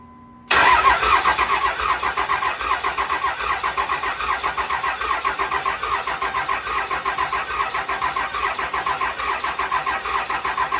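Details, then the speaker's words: Second-gen truck swapped from 5.9 to 6.7 Cummins with bigger injectors and big turbo, first start after cranking for oil pressure: diesel settles into a lumpy, uneven idle with one dead cylinder from a bad injector. "well bad injector so it does run y'all heard it run uh uh it runs really good other than we have one dead hole"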